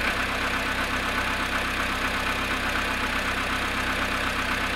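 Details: VW Polo sedan cold start at −1 °C after sitting 19 hours: light, uneven ticking knock about two to three per second over a steady engine hum at idle. Cause unclear.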